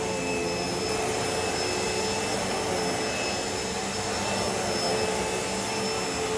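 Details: Hoover Elite Rewind vacuum after a belt replacement: even, steady whoosh of motor and airflow with a faint constant whine, no knocking or rubbing, brush roll spinning; running normally.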